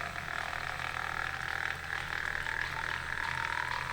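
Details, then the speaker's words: Frozen mod AliExpress water-cooling pump in a PC loop: steady raspy mid-range buzz over a constant low hum, rougher than a quiet pump should sound; pump is quite noisy and needs replacing at some point. "it is a quite noisy pump I do have to swap it out at some point"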